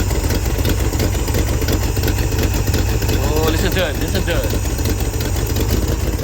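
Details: 1971 Chevrolet Monte Carlo old 350 V8, first run in roughly a year or more after fitting a carburetor from another engine: uneven, loping idle that won't settle. Rough idle; owner suspects a vacuum leak or cam.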